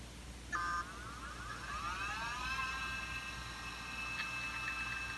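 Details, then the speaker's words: Apple PowerBook 140 with its original Conner CP2045 2.5-inch SCSI hard drive after repair, powered up: a faint whine climbs in pitch over a second, then settles into a steady high hum as the machine boots from it; normal spin-up. "as you can hear it spun up and the Machine is now booting off of it"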